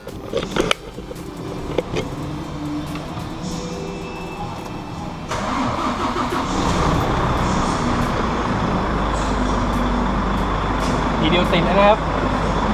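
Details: Volvo 400 hp tractor-unit diesel with two fully dead 180 Ah batteries, jump-started with a Spark JST24 jump starter: a few seconds of cranking, then it catches at once and settles into a steady, even idle, a normal start.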